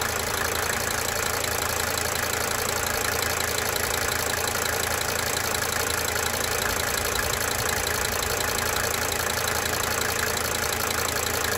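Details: 1992 Mercedes-Benz 300D 2.5 Turbo diesel at idle: fast, fairly even tick about four per second, coming and going over steady idle; owner attributes it to cyclic injector ticking.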